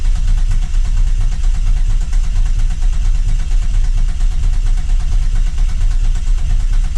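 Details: 2000 Camaro 3.8L V6 freshly reinstalled, cranked with injectors unplugged to build oil pressure before first start: fast even cranking rumble about one and a half beats a second, no firing; normal cranking.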